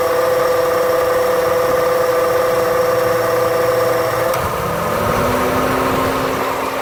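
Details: 2008 Honda Civic idling: steady hum, then tone drops lower and rougher after the AC clutch disengages, with the whole engine shaking; noise audible inside the car.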